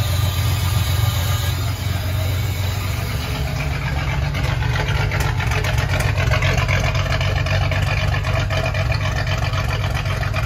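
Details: Ford 300 inline six, first fire-up after a homemade turbo header was finished, exhaust cutouts open: steady, deep, even exhaust rumble at idle with no knocks or misses; normal idle.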